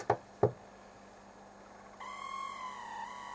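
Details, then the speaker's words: 1972 Dynatron CP1 cassette deck capstan motor removed and bench-run: two light knocks then a thin steady high-pitched squeal like a distressed bird once spinning up; noisy motor, cause not yet found. "is because I was running it sideways but yeah that's not good does it sounds like a distress bird"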